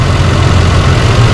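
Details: 2005 Holden Rodeo 3.5-litre V6 at idle; deep heavy idle with slight lumpy unevenness, misfire rough idle from one dead cylinder traced to a failing ignition coil and worn plugs; fix is replacing the coil and six plugs.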